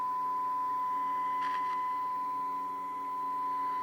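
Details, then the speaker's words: Sears Silvertone 4669 eight-tube radio after recap, 1 kHz-modulated RF signal injected at antenna leads, speaker in box, tubes warmed: clean steady 1 kHz tone over faint hum; signal passing through every stage properly. "radios powered up and you can hear the signal coming through once the tubes warm up"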